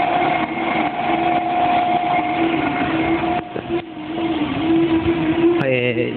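Steady, even gear hum with a constant mid-pitched tone and no knocks or grinding: a healthy reduction gearbox.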